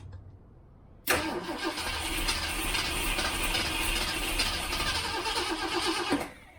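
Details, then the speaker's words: 1967 Ford Mustang V8 first start after months sitting, idle speed raised: fires, runs rough and uneven about five seconds then dies; running only on accelerator pump shots, carb starved of fuel, float level suspected. "Wants to. Doesn't want to stay running. Let's look at my float level. Make sure the float level is where it ought to be and not stuck. Because it sounds like it's running off the accelerator pump shots I'm giving it and nothing else."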